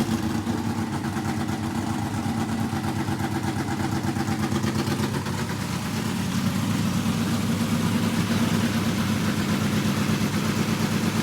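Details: Carbureted NASCAR Craftsman project truck that shot flames from the carburetor the night before, now running on a carburetor swapped from the other truck being rebuilt: big V8 idles with a firm, even lope, then picks up a little and holds steady, running clean; normal running.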